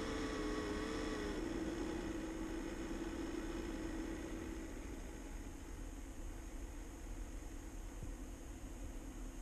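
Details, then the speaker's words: Kodiak trailer exhaust fan: a wavering tone that fades, leaving a steady, even whir. The loud racket lasts about a minute in cold weather (37°F, below about 60–65°F) before normal running; the manufacturer blamed a dusty fan. "so there we go the noise is gone now now it's operating normally"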